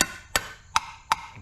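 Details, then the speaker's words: 1971 Ford Mustang 351 Cleveland 4V, sat many years, valve covers off while the engine is turned over: crisp sharp taps about every third of a second, no dull thud, so these valves are closing and seating properly. "probably a good idea to pull the valve covers off and check that the valves, you know, all sound like you can hear them closing."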